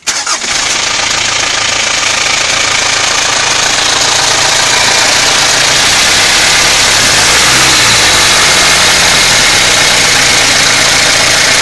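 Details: Mitsubishi Pajero Exceed 2.8 TDI diesel starting and idling with busy, fairly even rattle about four beats a second on top; owner suspects timing chain noise, unconfirmed; engine ticking noise.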